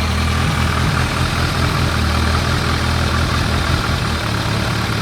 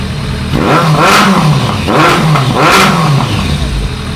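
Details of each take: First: Warmed-up 2001 ZRX1200R four-cylinder, CVK carbs, pilot screws at 2 5/8 turns (factory 2 1/4, jetted lean), idle turned down slightly, recorded on phone: steady, even, smooth low beat without stumble or hunting. Normal idle. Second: 2001 ZRX1200R carbureted four-cylinder after carb sync: revs surge and stumble, breaking up under higher throttle; cause found to be missing bolt sealing rear air box to front air box (intake air leak).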